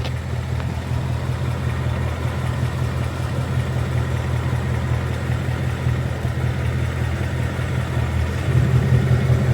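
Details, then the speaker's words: 2022 Mustang GT Coyote V8 idling after adding Liqui Moly Ceratec at an oil change and restarting. The idle burble is steady and even with no tick on top, and the "barbecue tick" is gone. "Just you go ahead and start it up, and that tick's gone. 1 second, and I'll restart it. And the tick's gone. No more barbecue tick."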